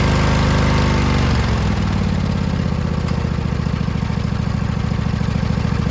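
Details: Newly rebuilt Craftsman DLT2000 riding mower V-twin. Catches and settles into a steady, even idle with no misses or knocks. Normal running before fuel leaking from the solenoid onto the hot muffler started a fire; the solenoid is to be replaced.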